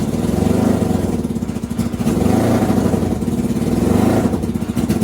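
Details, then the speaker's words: NasKart go-kart being diagnosed for misfire: engine note stumbles and dips in uneven gaps with popping beats under revs; misfire here was fuel starvation because the fuel pump switch was off. "Here comes the misfire. There it is. That's the misfire right there. Wait a minute, why is the fuel pump off? So that actually sounded like fuel starvation from the switch being off."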